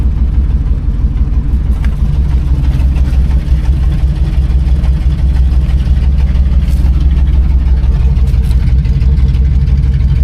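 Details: 1986 GMC square body with Chevy 350 V8, first start in 9 years: deep steady idle, even rumble about three beats a second, no knocks or misses; oil gauge reads zero, cause found afterwards.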